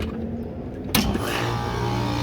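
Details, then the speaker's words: Goodman A/C condenser fan after a new OEM motor and new capacitor, wired to the OEM schematic and replacing an aftermarket motor: a click, then a steady low hum and even whir with no rattle or scrape; normal. "We are all good to go. New motor."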